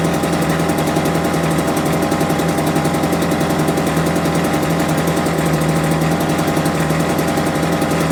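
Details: Homelite UT08572 small two-stroke, just restored and not yet warmed up, putters fast and slightly unevenly at a low, lazy idle; idle set too low, risking stalling.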